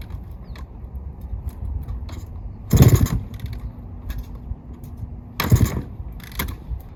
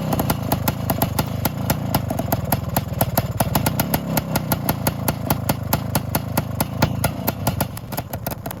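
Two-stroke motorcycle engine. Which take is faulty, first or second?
first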